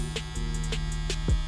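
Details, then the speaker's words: Barber clipper just cleaned and oiled at four contact points while running: steady low electric buzz with constant pitch and light handling clicks; running smooth. "And that's good, guys. You can hear that running smooth. I'll actually let that run in for a little bit and then turn my clipper off and kind of wipe off the excess."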